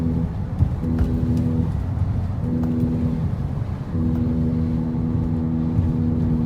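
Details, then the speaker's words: 2002 Acura TL-S with a worn front left wheel bearing at 306,000 miles, heard while driving through turns: a steady low hum that fades on left turns and returns. Grinding on very sharp right turns is also shown. "you can also hear a grinding noise when making very sharp right turns so we'll kind of try to demonstrate that now for you"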